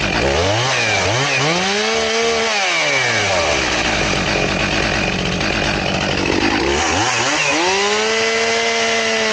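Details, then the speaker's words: Chainsaw with chain sharpened to 10 degrees: screams free, then sags and drags down in pitch each time it bites, cutting slowly like a dull chain before a crosscut is tried. "It's almost like it's a dull chain is what it acts like. I'm going to try a cross cut and see what it does. So let's try that. Remember, we're 10 degrees, but it cuts real slow."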